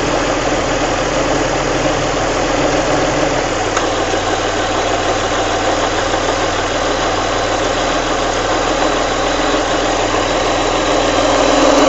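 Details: Alfa Romeo 166 3.0 V6 idling with a dense, busy clatter and a loose rhythmic ticking from the cam/timing belt area.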